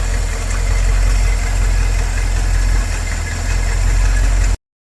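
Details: 1984 Porsche 928 V8 idling at first start after 16 years sitting, started on starting fluid after ignition and fuel system cleanup; deep steady idle with faint unevenness, missing a little, cause not identified.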